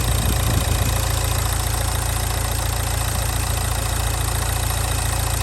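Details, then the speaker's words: Nissan Juke diesel, very low mileage, just started after running out of diesel: steady raised drone that never drops to normal idle; idling too high and really loud, cause not found; parts found left loose under the bonnet. "so it's loud though really really loud"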